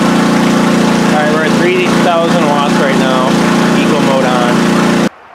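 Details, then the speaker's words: PowerSmart MB5040B 4400-watt generator in eco mode under load, heard without external mic: steady even quiet drone, no surging or missing; running fine. "let's try eco mode oh all right I unhooked my mic just so you can get a feel for the sound eco mode makes that's pretty quiet"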